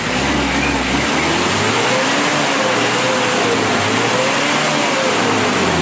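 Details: Mitsubishi L300 diesel at factory settings, light throttle: revs up and down smoothly with an even, clean rhythm and no knocks or misses, only thin dust-like smoke; normal diesel revving.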